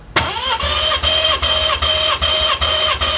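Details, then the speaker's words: BMW F30 340i B58 engine (600HP build) smoking oil from hood dump, compression test: even cranking pulses about 2.5 per second, matched strokes; readings 200-220 psi, compression solid. "Solid. 220, Holding. 200. Oh yeah, that's solid. 200."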